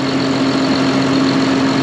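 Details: John Deere 7200R, after a new engine wire harness for fuel rail pressure fault codes, exhaust manifold reassembly and a welded repair with no leaks. Warming up before coolant top-off, it idles with a steady low hum, no misses, knocks or rattles: normal idle.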